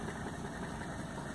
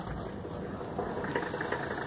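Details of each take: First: 1985 Mercedes 300TDT S123 diesel with 500,000 km, first start after sitting outside a year: even, steady diesel clatter at idle with no misses or knocks; runs smoothly. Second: 1985 Mercedes 300TDT diesel at 500,000 km, first start after sitting outside for a year. Idle with a fast light tick about two to three times a second, possibly lifters not yet pumped up.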